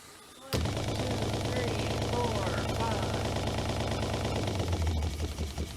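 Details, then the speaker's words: RV water pump, replaced about a year ago, keeps running long after the tap is shut, with a rapid, uneven rattling pulse during the test; cycling, cause unclear. "knew it was happening because the pump would go for quite some time after I would shut the water off"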